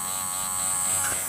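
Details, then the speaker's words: JGY 370 gear motor that could not be stopped by hand: constant buzzy whine with an uneven, rough gear hum. The owner suspects an internal motor problem, badly meshing gears or uneven greasing, and says the motor itself makes the noise. Gear motor noise. "इस motor का sound कुछ unbalance है इस तरीके से इसका sound कुछ आप सुन सकते हैं हो सकता है इस मोटर के अंदर कोई प्रॉब्लम हो या गियर इसके प्रॉपर्ली मैच ना हो रहे या ग्रेसिंग बराबर ना हुई हो"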